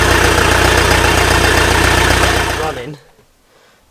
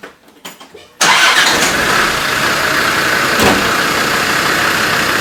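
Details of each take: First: Land Rover diesel just started after a new cylinder head was fitted, with the fan and intercooler still off; rough, lumpy idle suggesting a misfire before it cuts out. The owner later suspects cylinder bore damage needing a full rebuild. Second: Land Rover after being repaired and left sitting for a while: it catches instantly and settles into a steady, even idle with no misfire, a normal start and idle.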